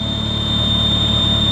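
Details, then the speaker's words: Ferrari 360 at idle: a steady high whistle over a smooth idle that goes away under full load. A vacuum leak is suspected, possibly the belts; not confirmed. "why would it go away faster no it's under full load it goes away I think it's a vacuum like"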